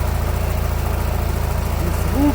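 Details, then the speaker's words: Nissan Qashqai with CVT, engine running rough: lumpy, shaking idle with a heavy regular thump each cycle, the engine jumping as if a dual-mass flywheel were broken; oil and smoke at the rear of the engine, one cylinder dead. "ситуація в тому що він троїть запускай але троїть якось так дуже цікаво"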